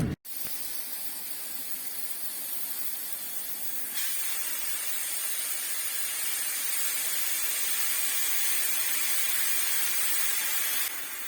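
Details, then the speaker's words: Toshiba refrigerator, 15 years old, hums but doesn't cool: long forceful refrigerant hiss as sealed system is opened; full charge present, likely blocked capillary tube. "фреона очень много тут скорее всего тромбоз"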